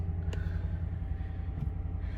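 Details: 2014 Toyota Tundra V8, 122k miles, idling just after knock sensor harness and intake manifold gasket repair for code P032D. Low, steady rumble with an even beat and no knocking or misses over quiet background. Code self-cleared, engine running healthy.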